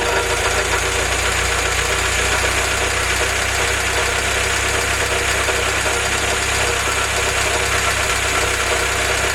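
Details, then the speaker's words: Willys F-head (snow blower jeep engine), first run on newly installed Weber carb replacing troublesome Carter YF, 180 thermostat: warm, steady even idle, constant low drone, no stumbles; normal idle. "okay guys we're idling looks like 748 pounds um just open up i've got a 180 thermostat in there and let's see how this is super smooth i like the way that feels"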